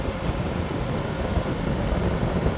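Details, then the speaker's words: 8000 BTU Frigidaire window air conditioner, after a deep clean of clogged fins and a moldy fan, fan on high: loud, even low rumble and airy rush with no rattles or surges; fan and compressor running smoothly. "So whatever bugs were in there, I think it just kicked in. And the compressor kicked in."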